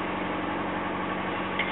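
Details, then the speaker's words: 2000 Subaru Forester just after an engine swap, not yet broken in, idling in a garage on a cold day. Smooth, even idle with a steady low hum and no knocking or ticking. The previous knock is gone. "Okay, so I just finished my engine swap in this 2000 Subaru Forester that I'm selling, and it went great, and the car runs awesome. So let's run it real quick. Listen to that, no more knock."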